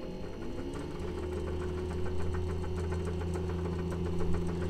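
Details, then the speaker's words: 3-phase repulsion motor, 4 magnets, 6 electromagnets, MOSFET PWM circuit at 24 V (rated 6,600 rpm): steady hum with faint uneven light rattle; timing wheel rubbing slightly, needs a new one. "there's a little tiny bit of Ratt this I have to make a new timing wheel this rubs just a little tiny bit"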